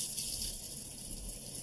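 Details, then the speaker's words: Kitchen faucet noise traced under the sink to the cold-water shutoff valve, not fully open: steady hissing rush of water with a faint high whistle, no pulsing; partly closed valve throttling flow. "Oh, yeah. Just shut it off. So it's got to be in this cold water shutoff right here, Eric."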